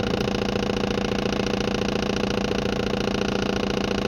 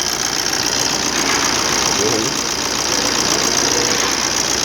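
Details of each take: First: 2013 Maruti Dzire diesel idling with a rough, lumpy clatter under the even knock, one cylinder not firing; misfire with MIL on, code P0201 injector circuit open, and it returns after clearing. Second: 2013 Maruti Dzire diesel after the injector 1 circuit fault (P0201) was repaired: steady, even idle clatter with no stumble, MIL off, no code returning, and engine vibration reduced to normal.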